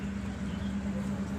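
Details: Hero motorcycle speedometer cable after repair: only a smooth steady low hum with no ticking or whirring from the meter drive; speedo cable noise gone.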